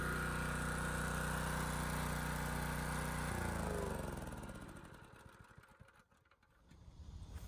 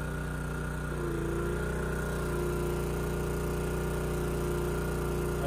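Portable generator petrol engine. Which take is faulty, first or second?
second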